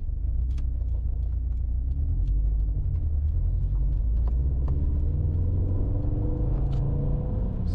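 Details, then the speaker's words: 2008-on Subaru STI (GR/VA) after a stumble fix: smooth rising note toward 3000 rpm with no hesitation or the GR stumble normally felt and heard there; normal acceleration. "normally you can really kind of feel and hear that gr stumble as you approach 3000 but the the car as you just saw it didn't like nose over or anything"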